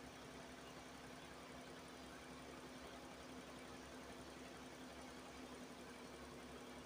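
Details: Nissan Almera after radiator cooling fan motor replacement and coolant top-up: even, quiet idle hum with a steady fan whir on top and no knocks or surging, so the idle and cooling fan sound normal.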